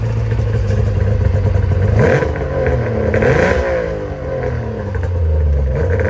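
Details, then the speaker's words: Arctic Cat ZRT triple two-stroke snowmobile with new gas, now leaning out and running better: slow, lumpy idle interrupted by quick blips, then drops back very low; idle speed set too low, idle screws need turning up. "The one thing I do have to do is turn up the idle screws. It's idling super low in the RPM range. So no big deal."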